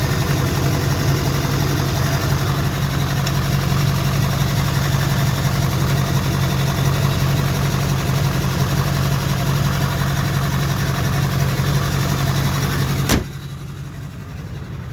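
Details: 2004 GMC with LLY Duramax diesel idling: lumpy, uneven rumble, then a sudden drop and a few quick revs; misfire, owner suspects injectors need replacing, not confirmed.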